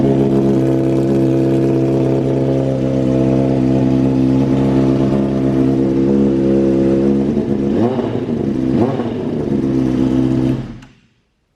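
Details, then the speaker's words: Owner-rebuilt wrecked 2013 Honda CBR600RR started after plugging in the tip-over sensor in the headlight assembly; it settles into a smooth, even idle, takes quick blips, then shuts off cleanly. Normal start and idle; run kept short because oil age is unknown. "I'm going to start this bike before I end this video because I know if I plug in that tip over sensor that is in the headlight assembly, this thing should start up."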